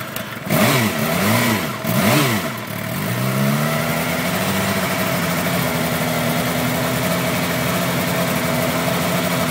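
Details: 2008 Suzuki GSX-R 750, hot restart after sitting an hour following a 2.5-hour ride, around 129–131°: throttle blips swing revs, then a wavering uneven idle; hard starting and rough idle that smoothed out by itself after about four minutes.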